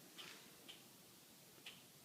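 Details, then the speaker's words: 2014 Acura MDX SH-AWD, driver's front wheel well: sharp, high-pitched irregular ticks as the body is gently rocked, same as the ticking heard driving at 5-40 mph since purchase, worsening over 500+ miles; owner plans to take it to the dealer. "just rocking in it a little bit I'm in the driver's front wheel well and this is the noise it's making so that is the exact noise that is uh consistently occurring"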